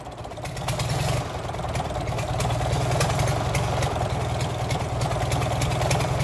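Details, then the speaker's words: Gardner 6LXB diesel from a 1972 Atkinson Borderer, 52 years and nearly a million miles, first start before overhaul: settles into a steady, lumpy idle while oil pressure takes very long to rise and stays low; cause unknown until teardown. "the oil pressure takes a very long time to come up and is a bit low when it does normally the oil pressure would come up within a few seconds of starting"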